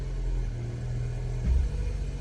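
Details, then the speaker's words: Range Rover Evoque at idle, selecting drive: steady low idle with a single dull clunk as the gear takes up, sometimes none in reverse, delayed engagement; clutch actuator clunk on gear engagement, being investigated. "you will hear it like clunk in place there you go"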